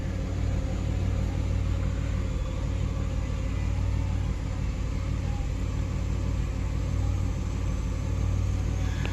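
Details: 2003 Ford Explorer 4.0 V6 after timing chain repair, idling after mass airflow sensor cleaning: low, even rumble with no knocks, misses or hunting; stabilized a little but still reading a little high, owner suspects injector issues from fuel trim.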